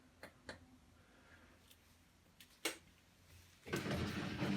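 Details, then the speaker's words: Electrolux EWX14450W integrated washer-dryer on cotton dry cycle: a few soft clicks, then a steady rushing hum starts and holds; drain pump running normally. "that's the pump"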